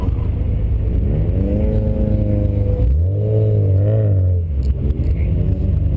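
Engine revs up and down with an uneven, stumbling beat in the exhaust note under throttle, pointing to a misfire of unknown cause.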